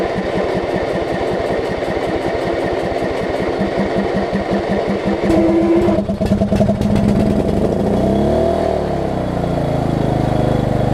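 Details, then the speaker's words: Lowe's riding mower single-cylinder engine, converted to lawn and garden battery after ignition fixes, cranks, catches and runs with no backfiring, settling into a steady putter though not running very well yet; carburetor needle and seat possibly leaking. "oh we got a run of us animoves and it's written it no backfiring okay well their runs albeit not very well at this point that is a step"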